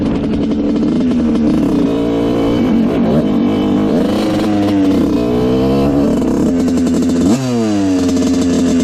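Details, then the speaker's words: 1986/87 Honda CR125 two-stroke after pilot jet fix and a one-notch adjustment: crisp blips rising and falling cleanly, no stumble or break-up; running almost perfect. "all right this thing is running almost perfect now um it doesn't break up at all it's really nice"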